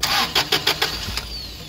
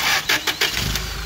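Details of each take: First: Toyota 8 Series 5,000 lb LPG forklift with a 4Y-ECS engine and a long crank: cranking about seven pulses a second without firing after the mixture screw was turned clockwise (leaner); not enough yet. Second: Toyota 8 Series 5,000 lb LPG forklift, 4Y-ECS engine, hard-start issue: after adjusting the fuel-system screw while cranking, short cranking bursts then the engine catches within about a second and settles into a steady run, starting quickly now.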